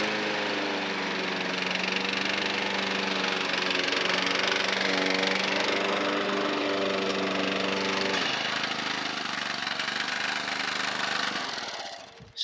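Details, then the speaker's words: Non-runner lawnmower engine (Honda HR173 or Kubota 5 hp OHV) idles with an uneven, surging beat and speed dips; hunting at the low end points to the idle jet/primary circuit, suspected not confirmed. "if it's hunting on the lower side it's your primary circuit which is your idle your idle jet yeah so that's where the issue is"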